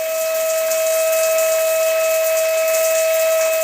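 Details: Shower whistling: a pure high whistle near 600 Hz over hissing water, coming and going and growing louder, caused by a worn rubber washer in the valve (registro).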